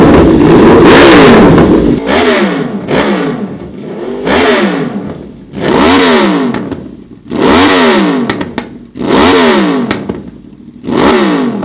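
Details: Honda VFR/CBR hybrid V4 with custom LexTek exhaust in short single-muffler configuration; crisp idle then sharp throttle blips about every 1.5 seconds, revs rising and dropping cleanly; healthy, revving freely.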